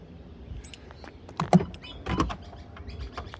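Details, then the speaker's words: 2015-2016 VW Passat Alltrack power tailgate after replacing the boot latch (3G0827506D with updated 3G0827506F) to fix an automatic closing problem: short motor hum, then clean clunks as the latch pulls the boot fully shut; now closes normally. "Now, moment of truth. We're going to see if this thing closes because uh I've got my doubts. So, closing, closing, closing."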